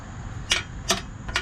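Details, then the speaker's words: 2016 BMW 328i F30, rear exhaust: three sharp metallic taps about half a second apart from the active sound exhaust flap rattling because its actuator clip fell off; fix is a new clip. "you hear that now that's the actual part that rattles in the part over here and that's exactly what we're trying to fix normally there would be a clip here but it's obviously falling off"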